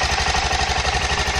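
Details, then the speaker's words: Aprilia Pegaso 650 (2003–2007) single-cylinder engine on test: steady, even thump at idle with no knocks or misses, holding speed smoothly; good compression, no white smoke, healthy engine. "Mantiene muy bien el ralentí. El motor se ve que suena bastante bien."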